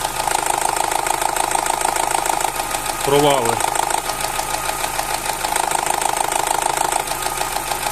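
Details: Opel Z16XER, cold idle, after about four years of cam phaser rattle that is now constant: busy, uneven clatter near 3/s with a dip midway. Oil pressure is about 1.1 when warm; cam phaser gears rattling.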